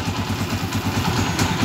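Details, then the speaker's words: Honda TMX155 CDI single-cylinder after valve clearance adjustment (intake and exhaust, set at TDC): steady, even idle with a clean regular beat and no tapping or clatter; engine sounds healthy at standard setting. "Napakaganda ng andar na standard yan"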